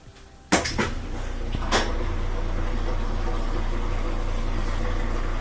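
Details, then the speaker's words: Whirlpool washer that wouldn't spin or drain, after replacing the motor coupler broken by heavy loads: a few clunks as the cycle starts, then a steady low motor hum as it spins normally. "now you have the motor coupler back in there we can hear it that's great alright go to spin"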